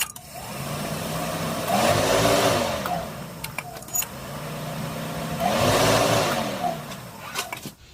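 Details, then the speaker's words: 2004+ Subaru Forester after a fuel line leak repair, return line clamped above the fuel filter, key cycled twice. Two short rising-then-fading fuel pump priming buzzes with light clicks; normal prime, no leaks. "I cycled the key twice. I could hear it buzzing the fuel pump and we got nothing, no leaks."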